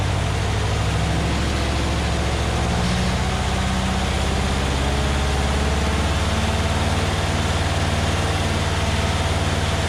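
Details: Massey Ferguson 35 Deluxe tractor after carburettor cleaning and adjustment, no load. Strong, even drone at about 2200 rpm, the recommended maximum, with no knock or miss, then it settles smoothly toward a slow idle: normal high rpm.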